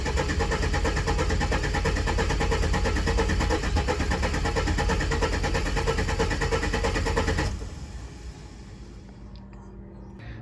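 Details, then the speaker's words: Ford AU Falcon first start in years on an aftermarket ECU with reworked trigger setup and loose M104 coils, weak battery, cranks unevenly about seven seconds and dies with a huge backfire; poor coil connection suspected. "Okay so I've been playing around with a trigger setup and this is how it sounds now okay that was a huge backfire"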